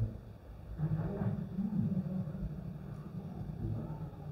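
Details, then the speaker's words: Maxtor/Seagate hard drive on PC3000 for a suspected firmware fault common to this drive family. It spins up fine, with a low, even hum building as the platters reach speed and no clicking or scraping, so the mechanics and electronics sound normal while the firmware fix runs. "okay i can hear it spinning up complete it and it's going through the procedure of fixing the drive"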